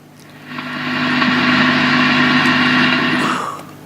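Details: Fender Hot Rod DeVille valve amp during low-gain valve replacement: loud hiss and steady buzzing hum swell as the gain is turned up, then drop away; excessive noise at high gain.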